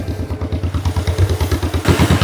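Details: 1949 John Deere Model M two-cylinder tractor, warmed up after hand-crank cold start at 27°F: slow loping pop-pop beat about seven or eight pulses a second, steady and even; healthy idle.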